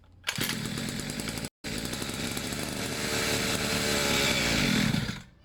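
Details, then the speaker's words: Two-stroke pit bike, fresh fuel, airbox refitted, long unused: buzzy engine catches, cuts out, then hunts and surges unevenly; choke was slipping and moving. "what was happening was to choke itself was slipping and moving so I stiffened it up a bit"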